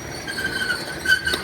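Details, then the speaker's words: Farm roller in a dry field: a steady high metallic squeal rides over the rolling rumble without letting up; a dry, failed bearing. "Yeah, that'll explain the noise. That bearing's gone."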